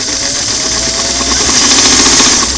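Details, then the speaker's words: Singer sewing machine motor after clam-shell foot pedal restoration, pedal adjusted another half turn clockwise: light mechanical whir holding speed, then stepping up smoothly through slow and medium; pedal speed control now works well. "I'm starting to hear the motor hum go slow medium okay so that's a big difference"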